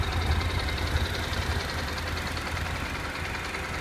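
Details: Honda NC700X engine at full heat: steady idle with a light, fairly quick rattling/knocking tick from the right side of the engine only once hot; cause not confirmed; rattle when hot.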